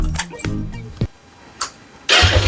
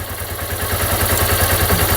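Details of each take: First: Dion 150 motorcycle after replacing the cam chain tensioner: a few cranking clicks, then it starts and settles to an even idle with a quick rev; the knock is gone and the engine runs smooth. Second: Dion 150 motorcycle at idle: quick, even metallic clatter rattling steadily over the idle beat; cam chain slack because the cam chain tensioner had failed, as shown when the tensioner was released.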